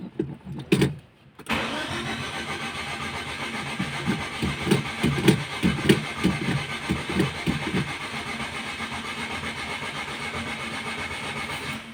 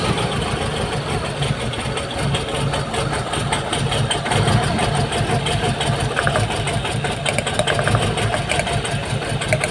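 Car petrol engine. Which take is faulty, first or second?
first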